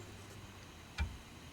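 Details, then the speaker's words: Dodge Charger SRT8 on ramps with emergency brake applied, after installing a Wavetrac differential: driveline rocked at the input flange gives a single sharp metallic clunk from excess slack; bumps when shifting Drive to Reverse; no free play seen in ring and pinion. "what I'm doing is going to show the amount of play back and forth and the input flange going into the differential and it has a lot of play back and forth between when it locks the axles into starting to try to move them in one direction and going into the other direction"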